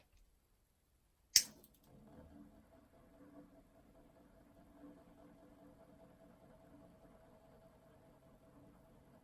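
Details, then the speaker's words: Weiye (Skyri) 17-inch USB mini ceiling fan, about 6 months old, after a repair that cured a motor clicking: one switch click, then a faint steady hum; slight noise from the top hanging hook, otherwise quiet and smooth. "a little sound coming from the hook up at the top it's nice and quiet"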